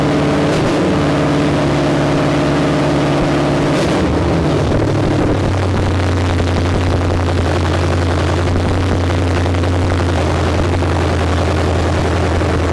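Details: 1972 Ford Maverick with a new 317 V8, on a restart. A heavy idle that drops, then settles, but never holds steady. Erratic idle; owner suspects a vacuum or air leak, unconfirmed.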